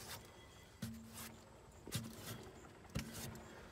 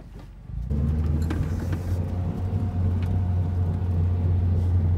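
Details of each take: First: Mazdaspeed3 good-side front wheel spun by hand during an oil change: three short, smooth hums with no grinding, rumble or spring vibration, in contrast to the failed opposite front wheel bearing. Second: Mazdaspeed3 driving at speed; loud steady low droning hum, louder road noise with a speed-related rubbing in left turns and a slight hum in right turns. Confirmed worn front wheel bearing.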